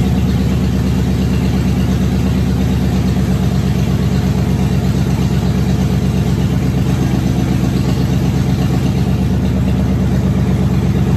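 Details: Car first run since 2019 after new fuel pump, cleaned tank, new starter, about 2 gallons fresh gas: steady even idle, smooth low rumble, no knocks, misses or surging; runs healthy.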